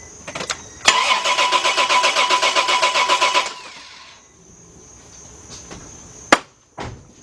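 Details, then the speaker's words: Chevrolet LUV / Honda Passport / Isuzu Rodeo (1997–2000), fuel pump not heard at key-on: even starter chugging about four beats per second for nearly three seconds with no firing; spark and injector pulse present but no fuel pressure. "yeah we are sparking so we got spark and we got injective pulse but we have no fuel pressure"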